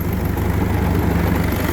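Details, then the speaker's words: Willys Jeep with Kubota V2203 diesel swap, about 4,000 miles: deep, lumpy idle lowered to about 730 rpm from around 1,100–1,300, with a constant shudder; hood and body vibrate heavily and a rattle comes and goes. "I don't know if you can hear it in video but the whole body is vibrating more the Hood's vibrating more there's a rattle that comes and goes with this"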